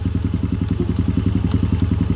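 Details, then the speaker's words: Honda Supra X/Grand motorcycle engine idling with a steady hollow tok-tok clatter about eight or nine knocks a second, like something loose; a common fault on Supra, Blade and Revo engines; cause suspected, not confirmed before teardown. "suaranya kedengaran enggak suaranya ya bisa diperhatikan suaranya jadi tok tok tok tok tok tok jadi seperti ada suatu barang yang longgar"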